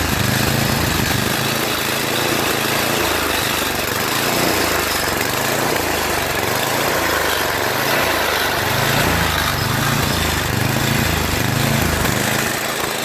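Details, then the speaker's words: Yard Machines MTD 8 HP 24-inch snow blower, electric start, after oil overfill leak via breather tube; lumpy pulsing beat hunting up and down with heavy vibration: engine surging. "however it does surge quite a bit causing a engine not to run smoothly and causing vibration tremendous vibration that you know makes a lot of noise"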